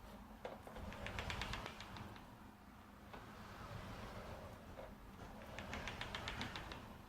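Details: Sliding wardrobe door, 2018: short trains of sharp fast clicks each slide, quiet between; one top roller has a burr from assembly damage or defect.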